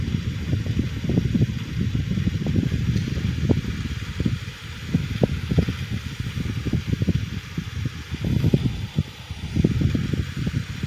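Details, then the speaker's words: Blower fan salvaged from a Hunter heater, after rewiring, cleaning and servicing: low, even hum with scattered light clatter and slight residual rubbing; runs smoothly, blows and sounds better than before, good spin-down. "blows better and it sounds better"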